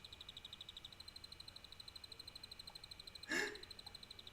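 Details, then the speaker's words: Used salvaged PC power supply fitted in an HP tower, microphone moved close: fast, even, high-pitched chirping ticks about ten per second; owner thinks the supply will soon fail, cause not confirmed. "elle va bientôt glamer l'alimentation va bientôt clamser"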